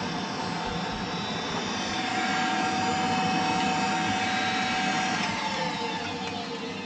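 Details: Ideal Logic gas boiler after service with new electrodes, gas valve open: steady fan whoosh with faint constant whine, no ignition pop or burner roar. No spark at electrodes; PCB control board fault suspected over ignition lead.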